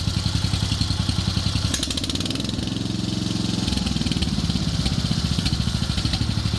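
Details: Wheel Horse 857 "Lil Mule" garden tractor single-cylinder, warm, after leaning out the carburetor idle circuit and main jet: even thumping that picks up briefly when throttled and settles smoothly without stumbling; running cleanly.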